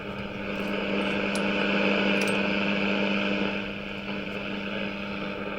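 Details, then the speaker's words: Philips 165A five-valve radio, just restored with new knobs, running indoors on an aerial with lights on: steady low buzzing hum with higher overtones at an even level; mains hum on all the radios here but not in Melbourne, cause unknown. "here really don't know what that horrible hum is it's on all the radios and they don't do it down in Melbourne"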